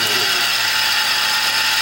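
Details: 2004 Toyota Tacoma SR5, 3.4 L V6 5VZ-FE, engine running: loud constant rough grinding and whine with a metallic ring at the AC compressor belt tensioner pulley, noise carried through the metal; the pulley bearing is shot.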